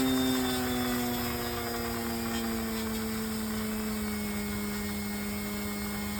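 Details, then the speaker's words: Electric motor for a UAV on a test run: a steady high whine slowly drops in pitch with a buzzy edge. The buzz is clear, but the rattle's source is unconfirmed. "So, I heard three different noises. There was that buzz. There was that rattle."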